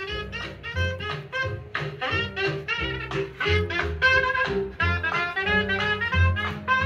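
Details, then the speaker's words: Restored Grundig stereo console speaker playing swing jazz after being installed without foam; bass stays tight with no buzz or rattle: normal speaker playback, no rattle. "Maybe it won't rattle. Well, that sounds just fine and dandy."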